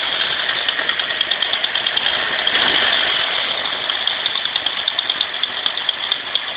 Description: My 1995 Mustang 351W, cant figure out if it's an exhaust leak or a lifter tick.